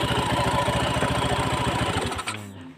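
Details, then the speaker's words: Honda Beat FI scooter after replacing the worn clutch (kampas ganda) plate ring: even, steady idle with a clean firing beat and no CVT rattle, then engine switched off; the rough idle noise is fixed. "ini teman-teman sudah suaranya sudah halus ya jadi ee motor ini teman-teman bisa buka ya ya Ini motor ee jadi ini suaranya sudah halus dan permasalahannya cuma hanya di ring plat eh ring plat kapas gandanya ya"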